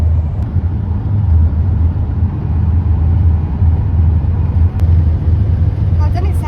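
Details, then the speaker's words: Horsebox diesel on road test after EGR valve replacement, intake repair, air filter and service: a deep, steady drone under load with no hiss, surge or stumble; it now pulls cleanly, with the vacuum leak gone. "It actually pulls. It's not got a vacuum leak anymore. Oh my god, it's flying."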